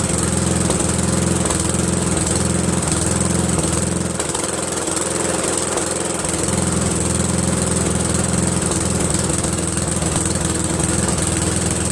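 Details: Briggs & Stratton 13hp flathead single-cylinder on an MTD Cub Cadet lawn tractor, after carburetor replacement; steady even beat at mid speed, no misses or surging; runs clean, owner pretty impressed.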